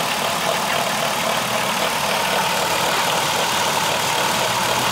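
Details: 3.3L Dodge Caravan in park: thin, steady high squeak over a hissy whir that speeds up with revs, heard even with the hood closed; alternator had a wiggle, pointing to a worn alternator bearing.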